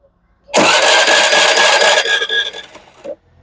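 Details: Access 125 BS6 scooter after ECM replacement to fix a mileage problem: starter spins briefly, then the engine fires promptly and runs smoothly before shutting off; starts cleanly.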